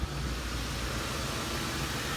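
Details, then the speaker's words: Ford 5.4L 3-valve V8 after coil pack and spark plug changes for cylinder 7 misfire and reconnecting a hissing vacuum hose: low steady even idle, some hiss over it, RPM slightly high until warm, no misfire; normal. "much better so I have a nice steady RPMs a little bit hot until it warms back up but don't have any miss any more"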